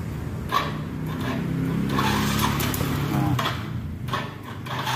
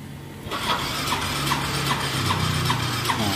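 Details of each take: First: Yamaha Soul GT 125 scooter after repair: starts and settles to steady even low putter, no misfire; earlier rough sound caused by misaligned camshaft timing mark, hard starting by bad spark plug cap, weak battery; now normal. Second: Yamaha Soul GT 125 scooter with a hard-starting complaint: the starter whirs with steady compression pulses, but the engine will not start. Hard starting was traced to the spark plug cap; rings and valves were also replaced.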